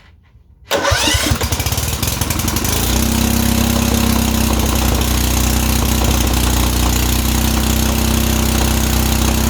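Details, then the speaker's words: Kohler Command 13 lawn mower engine after reconnecting the governor arm and throttle linkage. It catches, then holds a loud, high, steady drone even with the throttle fully down, so it is overspeeding; the cause is unclear, possibly linkage adjustment or internal. "that was all the way down the throttle so i don't know what i'm doing wrong any any tips on what i might be doing wrong or if you think it might be an internal thing"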